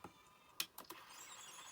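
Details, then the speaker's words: Sony WM-EX615 cassette Walkman, with hard-to-press buttons, in cue mode: sharp button clicks, then a thin, steady, high whirr from a noisy, loud mechanism; the owner suspects a weak belt. "they're quite hard to press the mechanism sounds quite noisy as well quite sort of loud isn't it"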